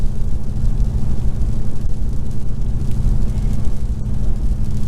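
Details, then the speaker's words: 2019 Ram Rebel V8 with aftermarket Carven exhaust cruising about 53–55 mph in eco mode: deep rough pulsing boom, the MDS cylinder-deactivation drone on half the cylinders, which the owner finds horrible, like a big truck downshifting. "I hate that sound because the pipes dude have like a it has a sound so it is just horrible"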